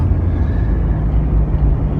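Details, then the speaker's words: 1999 Jeep Cherokee XJ on first drive after a temporary exhaust fix pending hanger re-welding: smooth, steady low rumble under acceleration with no rattle, knock or roar; exhaust quiet, no engine damage. "everything is great no more a rattle clock when I accelerate roaring and I don't it stops so that did it at least temporarily until I could get that hanger re welded"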